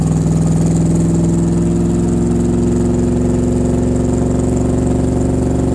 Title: Cobra Misfiring